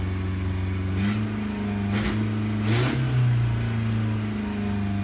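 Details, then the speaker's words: 1985 Toyota Tercel parts car, cold start after about a year unused, started with carb cleaner down the carburetor: a few sharp revs, then it settles at a fast, steady idle well above normal, really high idle. "Yeah, it's really high idle."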